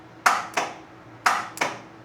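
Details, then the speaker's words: Unimog 404, first start attempt powered from 24 V inverter output: sharp solenoid clicks, no crank; starter circuit engaging but 24 V battery bank not yet connected. "That to me is our starter circuit engaging right there. I don't think the 24-V battery bank is hooked up yet, so that's why it's not turning the engine."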